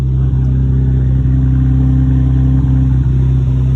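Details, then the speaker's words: R32 GTR just reassembled with drive shafts and speed sensor refitted: steady, even idle with a smooth low drone and no whirring or chirping from the clutch throwout bearing; normal idle, no weird noises. "She's running. Throw bearing sounds good, no weird noises."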